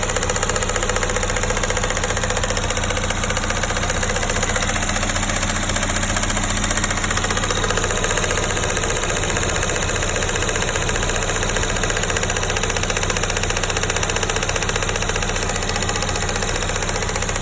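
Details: Honda S2000 petrol engine idling steadily with a light, regular ticking about two or three times a second.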